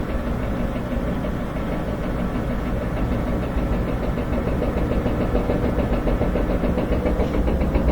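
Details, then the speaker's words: Front-load washing machine on spin cycle: uneven banging from the back, about three to four times a second, growing louder as speed builds. A loose drum shaft knocking in a worn rear bearing. "a little banging coming from the back that's the uh looseness and the the shaft going into the rear bearing as it's bouncing around"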